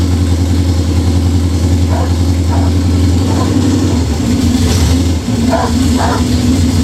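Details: Budget Beater Chevelle, just revived, distributor re-timed. It holds a high, steady idle with occasional revs and won't drop back. Fast idle; the owner suspects the old fuel, unconfirmed.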